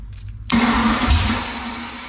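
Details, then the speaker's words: Ford 302 V8 with open exhaust, restarted after bellhousing work to cure a bad bellhousing vibration blamed on a cheap flywheel. A short crank, then an even idle with no shaking or clatter; the owner believes the vibration is fixed. "right i believe it got the problem figured out and solved see what it does"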